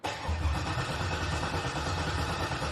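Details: LS-swapped 1986 El Camino (swapped heads, cammed) being primed before its first start: coil packs unplugged, cranking until oil pressure rises past 40; even, steady starter churn with no firing; normal cranking.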